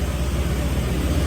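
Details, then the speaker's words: Honda LED scooter after a battery fault: steady, even low hum with no knocks, misses or rattles; engine idles smoothly and sounds healthy, only the battery was bad; normal idle. "Xe này bị bình thí thôi. Xe này c mà máy còn êm ghê á."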